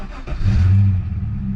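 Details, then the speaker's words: Manual Holden Commodore SS starting after repair, first time under its own power in about two weeks after being towed home; catches first time, brief rev, settles to steady even low rumble; normal start. "ah mate it starts so good doesn't it mint mint [ __ ] mint all right right first time it's moved under its own steam in about 2 weeks"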